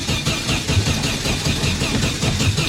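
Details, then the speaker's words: 1974 VW Super Beetle rebuilt from a pile of parts, first start attempt: the starter churns steadily at about four beats per second but the engine never fires; the cause was a loose negative wire on the ignition coil, fixed by pinching and refitting its connector. "Alright, I guess we need to investigate. And we discovered the negative wire on the coil was loose."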